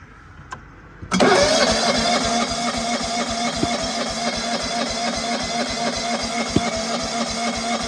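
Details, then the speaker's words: John Deere 165 Hydro lawn tractor cranking with a second igniter chip fitted, spark still weak: steady cranking rhythm with a couple of sharp backfire pops from the muffler but it never catches; weak spark. "doesn't look like we had a very good spark. I did kind of hear some backfiring out of the muffler."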